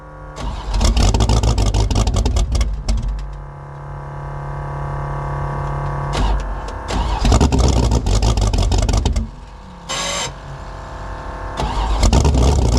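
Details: 1984 Fox Body Mustang drag car, roughly 350 hp V8, about 20 degrees out, no choke: cold engine catches in bursts, revs blip and sag unevenly between throttle stabs; hard cold start, 878 CFM carburetor way too big.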